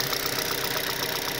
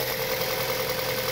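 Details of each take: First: 2006 Mazda 6 idling around 1,100–1,500 rpm, microphone near cylinder 3: light, crisp ticking about ten times a second over an even idle from noisy hydraulic lifters, recorded while treating with an oil additive. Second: 2006 Mazda 6 after a fix for noisy hydraulic lifters (ticking) involving Seafoam, engine cover off, cold Illinois weather: smooth, even normal idle with no lifter ticking.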